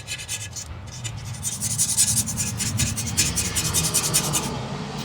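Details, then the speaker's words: Razor blade scraping Goo Gone–treated glass on a Silver Strike machine: a smooth, even, hissy scrape with a steady stroke rhythm and no catching or chatter. The blade glides over clean glass, as it should sound. "you can hear it, nothing there. That's the way it should sound."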